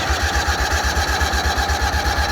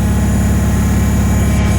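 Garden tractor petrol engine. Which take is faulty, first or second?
first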